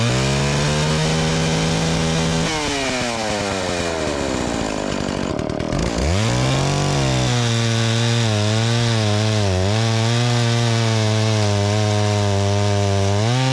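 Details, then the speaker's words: Dolmar 112 chainsaw with an 18-inch bar and freshly sharpened chain, bought at a garage sale, fired up cold and cutting wood: it revs up, the pitch drops and holds in the cut, then recovers cleanly. It runs strong and cuts great. "the Dolmar 112 runs strong and cuts great."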